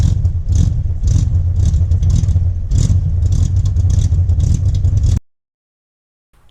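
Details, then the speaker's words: Jeep Wrangler 4.2L six with Comp cam, before the timing fix: choppy, uneven idle lope with irregular stumbling beats before it cuts out; ignition timing at 57 degrees floods it with fuel, mistaken for cam lope. "when you start it with 57 degrees of timing basically it's just like flooding itself out you're dumping fuel in there way before it's ready for the ignition cycle"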